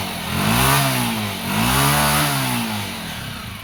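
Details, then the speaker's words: Honda TMX125 Alpha single-cylinder after repair of worn parts caused by a clogged oil passage, with the oil pump checked as working: even single thumps and two smooth blips with no tapping or rattle. The earlier engine noise is gone. "yan ayan umaandar naala na yung ingay niya Okay na thank you"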